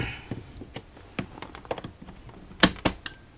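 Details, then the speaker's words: Altair 8800 computer build, power supply (+8V, +16V, -16V switch-mode supplies; -16V regulated down to 12V for a 12V relay): string of sharp clicks as the relay pulls in on power-up, as expected. "hear that click so that was the relay coming in and that's just that's this little chap here"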